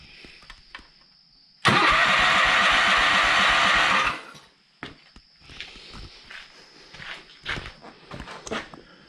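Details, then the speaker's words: 1985 John Deere 318 garden tractor that had sat a long time, compression about 120: steady, even cranking for about two and a half seconds with no stumbles; healthy engine, smoke believed to be burning off deposits from sitting. "So this engine's very, very healthy. it sounds like it."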